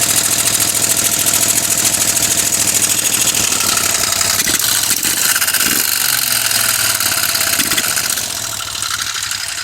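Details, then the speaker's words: Moto Guzzi twin, first run in over ten years after carb rebuild, on choke, no throttle fitted: fires and keeps running with a loose, lumpy, slightly uneven idle beat, no knocking; sounds good, smoke from old oil burning off. "so that is absolutely great news because I have never heard this engine run before until this moment but it did actually sound quite good actually"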